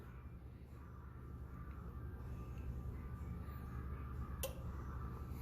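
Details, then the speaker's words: Bench test of a 2001 Chevy Silverado 2500HD 6.0 TCCM (code C0308 motor A/B circuit low), probing pin A with ignition on: one crisp click, then a faint second click as the relay engages and releases normally, after which the pin drops to 5-volt reference. "turned off went to five volt reference so right now they're both at five volt reference"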